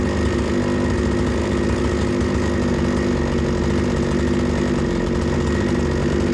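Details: Proyard 450 two-stroke cut-off saw after its no-start fault was diagnosed and repaired, warming up: smooth, even buzz at a steady speed with no misses or surging; running healthy.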